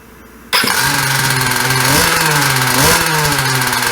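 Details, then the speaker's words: 2017 Jetsurf GP100 two-stroke with Tryton carburetor, after diaphragm and gasket rebuild (previously wouldn't start): fires into a crisp buzzy idle with two clean blips, run briefly without cooling water and already getting hot. "So I can't run it very long because there is no cooling water, so it's already getting hot, but you guys can see it works."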